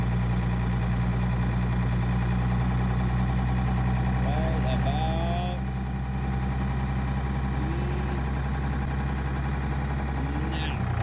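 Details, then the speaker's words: 1999 Dodge 2500 5.9 24V Cummins started around -3°F in Iowa, unstarted for weeks: steady, fast, slightly lumpy diesel idle with a deep even drone, the normal cold three-cylinder high-idle warm-up mode; sounds bad but warms up faster. "now it sounds really bad but exactly it helps warm up real fast a lot faster"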